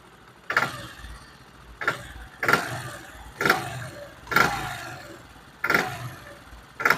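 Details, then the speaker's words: Motorcycle revved while standing, quiet at idle: seven sharp throttle blips, each with a rattling tick and knock as revs climb, much louder when ridden; mechanic attributes the knocking to poor, adulterated petrol and recommends draining and refilling from a good pump. "Petrol कच्चे होने की वजह से जो है ये motorcycle knocking करती है और इंजन में आवाज़ आता है।"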